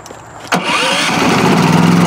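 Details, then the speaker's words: New Westinghouse iGen4500 inverter generator, restarted after the choke was opened: a short crank, then it catches at once and settles into a smooth, even run; it starts right up, and the choke is then turned off. "yeah, it starts right up. Now he's turning it off, turning the choke off."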